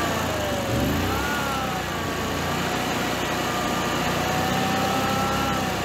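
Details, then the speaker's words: Generac-built Honeywell standby generator after an overspeed shutdown: the loose governor servo screw was Loctited and the servo readjusted with room to go slower or faster; steady, even drone at constant pitch, no hunting or surging; normal governed run. "it's working perfect now so i adjusted that up and gave it a little more room there so it can go slower or faster it kind of has room"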